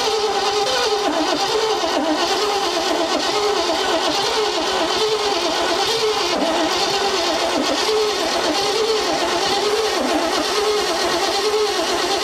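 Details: 1957 Viking truck abandoned over 50 years, oil squirted into cylinders and cleaned plugs refitted: starter churns steadily with slow even compression rise and fall but the engine never fires; owner suspects valves not closing, not confirmed.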